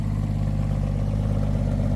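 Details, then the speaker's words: 1962 International B150 farm truck, first start after sitting years: smooth idle with rapid even puffing tick on each firing pulse from an exhaust leak at the front; not smoking. "Yeah. Clearly it runs. An exhaust leak up front there."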